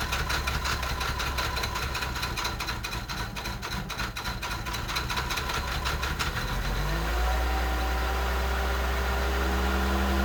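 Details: 1989 Mercedes 300SE, long parked, cold weather, possibly weak battery, hard start: uneven cranking, then it catches into a lumpy idle with irregular shake and heavy engine vibration; running rough, cause unknown.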